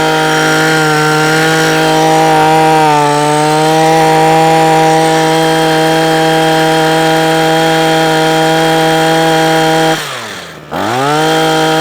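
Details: Parkside hedge trimmer after carburetor repair, previously cutting out after two or three minutes: steady high two-stroke drone holding even revs, one brief dip and smooth recovery; runs cleanly and holds speed.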